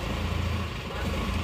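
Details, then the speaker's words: Isuzu Panther diesel after a major repair with all hoses and oil cooler pipes renewed, idling just after restart: low, even idle with a steady deep rumble, no knocking, misfire or rattle; runs very smoothly. "Terasa halus banget ya."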